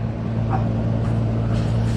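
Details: Outdoor AC condenser running after a bad Nest thermostat was found and fixed: low, steady hum with no rattle, squeal or cycling; normal operation.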